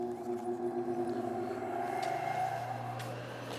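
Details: Whirlwind R-5760 regenerative ring blower after a rebuild with cleaning and a bearing replacement. A smooth tone climbs slowly as it spools up, with no grinding or rattle; the blower is healthy.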